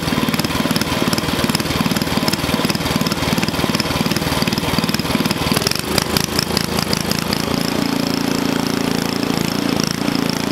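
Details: Onan small engine for a log splitter, after the governor linkage was adjusted: popping along at an even beat, then settling at a slightly higher, smoother speed of about 3,400 rpm. It runs clean and healthy, and the stop switch works.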